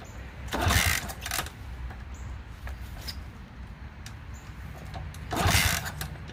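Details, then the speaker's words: Honda CT200 (iron-head pushrod engine), long-sat non-runner, plug wire-brushed, fresh gas: two loud cranking bursts, almost catching and sputtering; hard starting. Later it wouldn't stay running and the plug was very wet, so carb teardown planned. "i did notice that it didn't want to stay running for long in fact the the spark plug was very wet after i wrote it down the street and it wouldn't start very easily after that"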